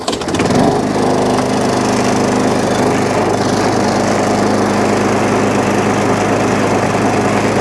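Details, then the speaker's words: Job-lot Tecumseh single-cylinder lawnmower, primed, with compression and a dead-man throttle: it picks up quickly and holds a steady, even buzz with no misses or knocks, running fine, though a fuel leak is noted. "Happy with that. For the Tecumseh, I'm not going to complain."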